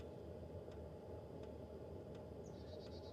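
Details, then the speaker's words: Hcalory Toolbox portable diesel heater the morning after an all-night run in a Honda CR-V at about 30°F; steady soft roar with faint pump tick about every 0.7 s, whisper quiet, half a tank used; normal running. "Let's see how much fuel the heater used last night. If you can hear, it is still just whisper quiet."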